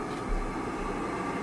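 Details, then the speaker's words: Oil-fired hot-water heating furnace after replacing a bad Taco zone valve head that left bedrooms without heat: steady low roar of the oil burner firing evenly, no puffing or rumble; normal burner operation. "Zone head replaced. Furnace firing. Problem solviendos."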